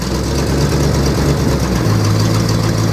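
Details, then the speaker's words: 1964 Mercury Montclair V8, abandoned 28 years in Arizona: steady, even low idle held smooth with transmission in gear, no knocks or stumbles. Transmission solid, engages immediately; runs and drives, though brake pedal goes to the floor. "oh yeah she's a run in a driver yeah it's solid transmission's real solid oh it's solid real solid I mean it immediately tries to go into gear"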